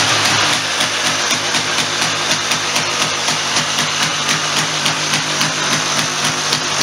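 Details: 1996 Polaris Sportsman 400 two-stroke ATV after top-end rebuild (head gasket had been blowing), carb and recoil cover refitted: crisp, quick regular firing at steady idle with raspy top end, no misses or knocks; running good.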